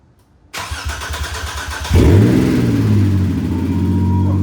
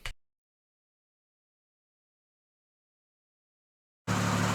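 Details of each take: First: Newly assembled and installed replacement motor, first start: about 1.5 seconds of cranking, a couple of stumbles, then it fires into a rough, loud fast idle; check engine light on and smoke smelled underneath. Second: Freshly installed motor at first start-up while burping the coolant: silence, then a loud, steady idle with an even pulse and a raw unmuffled bark. Codes were present, but it sounds healthy, like an identical motor.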